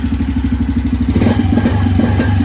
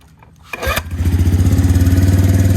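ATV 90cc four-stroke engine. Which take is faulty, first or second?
second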